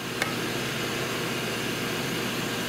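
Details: Rolair JC10 air compressor, after repairs with a new pressure switch (95 on/125 off psi), check valve and unloader solenoid: one click, then a steady airy hiss after the motor stops; owner suspects air leaking at the compressor.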